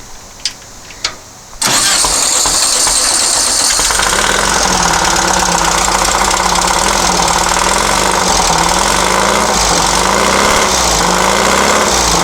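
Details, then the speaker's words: Long-stored dune buggy/sand rail with points ignition: cranks twice, then runs loud and raspy with revs surging and sagging; okay at higher rpm but falls on its face at idle. Suspected trash in the fuel system (no fuel filter) or timing. "seems rpm okay but when it comes back down to iowa it wants to fall on its face now i could have more trash in the fuel fuel system there's no filter on here"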